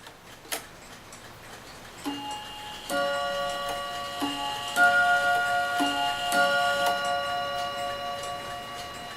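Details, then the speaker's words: Dutch Friesian Tal wall clock after bushing replacement and gong adjusted softer: unhurried ticks under clear ringing strikes decaying cleanly with no clatter; ticking and striking normally, as before repair. "so now I have to adjusted and it sounds like it did before I ever started working on"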